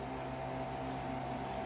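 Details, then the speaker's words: Old clipper used for over a year, after blade alignment and tightening fix for noise: steady, even electric hum with a soft buzz and no rattle, much quieter than before; normal running hum. "I still have some moist because that's normal with but it's not as noisy as a while ago did you notice so I think now it's much more better cashews and it's not that annoying anymore"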